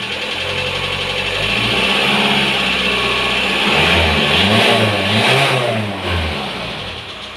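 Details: Volkswagen T5 engine revs up and settles with an uneven knocking about two per second over it; engine knock of unknown origin.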